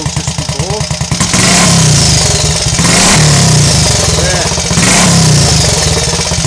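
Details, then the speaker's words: Triumph Tiger Cub Scrambles replica single after a cold start, revved in blips; burbles and pops softly on overrun as the throttle closes, through a recently fitted silencer, a clean, healthy overrun. "but yes I'm quite pleased with that little burb it's got on the over and after you shut the throttle I hadn't picked up on that before with this"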